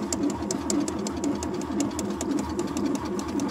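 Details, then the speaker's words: Iced-over Ford Taunus after a frosty night, battery reading full: starter churns unevenly at about two turns a second, with the door open and the throttle pumped, but the engine never catches. Cold crank, no start. "Evet arkadaşlar araç buz tutmuş. Maalesef çalıştıramıyoruz."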